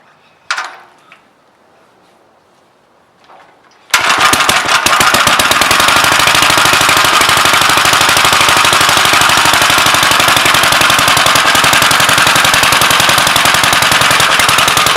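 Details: Gravely L single-cylinder starting right after its Wico magneto timing was set, piston at TDC on compression and the coupler lined up to the dots. After a few quiet seconds it fires into crisp, evenly spaced pops: normal running.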